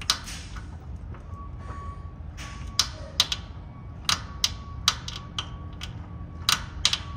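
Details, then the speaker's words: GMC Sierra, brand-new (suspected counterfeit) steering gear making sharp irregular clicks, clunks and creaking popping as the wheel is rocked left and right; gear end plate visibly moving, steering gear destroying itself. "I can feel it that Creek that nasty creaking noise watch this keep going there buddy"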